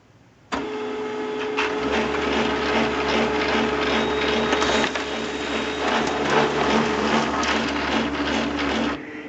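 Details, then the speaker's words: HP LaserJet 2400-series printer runs a print job with a steady motor hum and soft paper-feed rhythm, no clunking, after replacing the three main fuser drive gears; normal printing. "there it is absolutely no clunking at all so the three gears solve the problem in this case"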